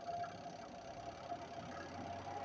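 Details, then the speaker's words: Twin-tub washing machine spin motor, capacitor replaced with a higher-voltage-rated one, tested unloaded: a quiet, steady hum that runs up smoothly with no scraping, knocking or strange sounds; normal spin motor run. "se escucha Cómo acelera sin problema no hay sonidos extraños digamos el funcionamiento normal invasivo"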